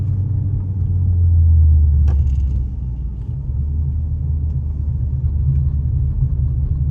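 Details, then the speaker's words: Lincoln MKZ Hybrid coasting downhill with Grade Assist on, engine used as an air compressor for braking: a smooth, deep, even rumble with no knocks or whine. Normal hybrid engine braking. "I usually leave Grade Assist on because I live in a hilly area, so it saves a lot of fuel for me, as well as it's easier on the brakes as well. This is what Grade Assist sounds like when it's working."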